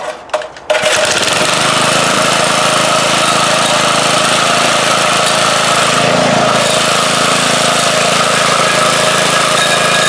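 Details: 4hp Briggs & Stratton lawnmower engine swapped onto a front-tine rototiller replacing old 3hp motor: catches after a few pulls and settles into steady, even running without knocks or misses; healthy.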